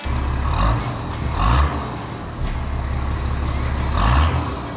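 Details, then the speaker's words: Nissan Patrol diesel just after first start on the newly fitted, bled 11mm boost-compensated injector pump: even diesel clatter with smooth rev rises and falls, no misfire or knock; runs well, so the timing is correct. "oh it runs really well that's awesome it's good cuz it means you got the like the timing and stuff all correct cuz if it was out you'd know straight away"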